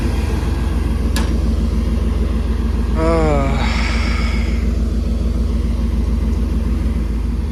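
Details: OBS truck that previously clicked without cranking (starter suspected) finally starts after a blown 40 A fuse is replaced: a deep, steady engine rumble with a brief squeal, then normal running.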